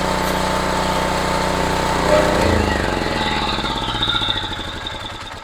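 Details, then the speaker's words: Homelite HGCA3000 3500 W generator after new carburetor and head gasket, running on a test run; steady drone starts stumbling, the beats slow and fade over a few seconds as it dies because it ran out of gas; stalling from fuel starvation. "okay I'm not going to let it run for a minute because it ran out of gas"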